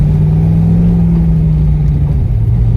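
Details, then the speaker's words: Chevrolet Corvette C6 Z06 V8, fresh build with new replacement Johnson lifters, big cam and twin-disc clutch, first drive, temps good: deep throaty rumble, choppy at low rpm from the big cam; otherwise running normally, not yet tuned. "Like I said, it's just a little bit of a pain to drive this thing at low RPMs. I'm hoping the tune can fix that a little bit, but at the same time, it's hard to get a big cam, twin disc clutch car to drive friendly on the street, if you will."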